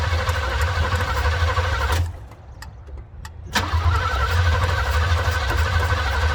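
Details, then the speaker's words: 1970 Chevy C10, not driven in years, untimed engine with bad carburetor: steady starter churning about three beats a second with no catch; engine turns but won't fire, completely out of gas. "completely out of gas well that'll do it yep I wonder if I guess it would run better"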